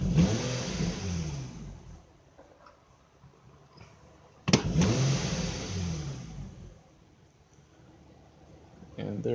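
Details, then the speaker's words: 2006 Infiniti M35 after cylinder misfire repair, bank 1 and 2 fuel trims balanced: two snap-throttle blips from low rpm rise cleanly and return to steady idle with no stumble or hesitation, normal throttle response. "there's no more there's no more issues in regards to misfire under load conditions so when I'm revving it up from a low rpm it's not it's not hesitate anymore"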